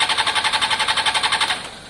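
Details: Honda CBR600 F4i non-runner, accident-damaged, after injector cleaning with cleaner and fresh fuel: fast, even cranking pulses, about twelve a second for a second and a half, stops without firing. Owner hears no fuel pump prime and suspects fuel delivery.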